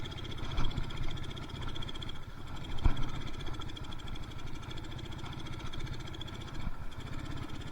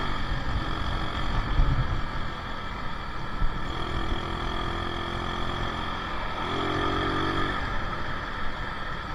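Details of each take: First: Yamaha Mio Soul carburetted scooter lacking power, rpm won't climb above half throttle: the engine stumbles and stutters unevenly, running too rich (too much fuel). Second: Yamaha Mio Soul carbureted scooter road test after carburetor fix for lack of power, running without air filter: loud single-cylinder note pulls steadily and evenly when throttle opened from closed to half and above; normal acceleration.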